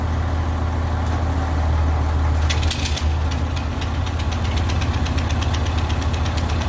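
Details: Old Ford tractor, battery charged after sitting (owner suspects the alternator isn't working), idles low and steady with an even, regular firing beat and no knocks or misses; it runs smoothly.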